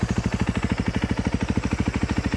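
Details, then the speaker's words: 2013 KTM 350 EXC-F after freshen-up (fresh oil, oiled air filter, fuel, bled clutch, aftermarket timing chain tensioner), SXF muffler, electric start: crisp even idle pops about eleven per second, no ticking or knocks; healthy. "In my opinion, sounds pretty good. Doesn't have any odd knocks or anything. It's got the SXF muffler on there, so it sounds pretty good with that."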